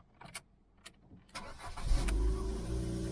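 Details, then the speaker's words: Ford Fusion sat unused a long time, cold start on a cold day: key clicks, brief crank, then catches and settles to a steady even idle, no warning lights; sounds okay, tensioner maybe slightly squeaky. "That actually sounds okay. Considering it's been sat for a long time."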